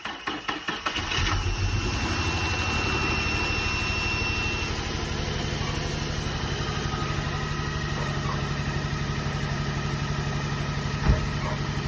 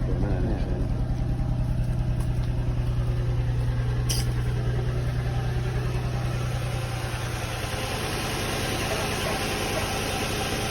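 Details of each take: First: Nissan 350Z/Infiniti G35 after valve cover gasket replacement: catches after short crank, steady even idle with smooth low drone, no ticking or knocking; exhaust has several holes; normal idle. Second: Nissan 350Z/Infiniti G35 V6 at idle after valve cover gasket replacement: steady idle with a rapid, regular puffing tick about three times a second. There are multiple holes in the exhaust, so it's an exhaust leak; a new exhaust is suggested.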